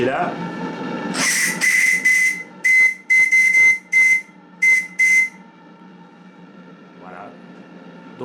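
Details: Live-steam RC model boat (Bavaria project, 1.50 m) on its first heat-up test, gas-fired boiler, engine running slowly: clear high whistle in about nine short blasts over a soft steady hiss, each note clean; whistle working properly.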